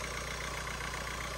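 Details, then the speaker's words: Ford Fiesta Vignale Mk8 1.5 diesel after timing belt and water pump replacement and refitting the fuel pump side; air box off, turbo audible, likely pulling too much air. Quiet, even idle with faint airy hiss, no knock or rattle; idling nicely. "yeah it runs really really nice"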